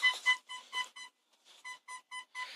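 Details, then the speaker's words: MG ZR turbo with a newly fitted reverse parking sensor wired to the reverse light, in reverse: rapid high-pitched beeps about four a second over the stereo music, detecting objects on the floor. Working normally. "Let's just mute stereo and just stick it in reverse. Hear that beep? And the stereo didn't mute. As you can hear, it's going off."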